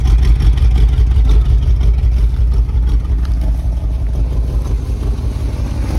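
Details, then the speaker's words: 1978 Chevy K20 4WD Camper Special V8, sat outside 13 years, later restart after sitting to cool down, more transmission fluid added: deep, steady, even idle, no stumble; blow-by smoke gone, engine running much better, not perfect. "this engine is coming around it's not perfect but it is coming around i mean it's running so much better i can turn the idle down"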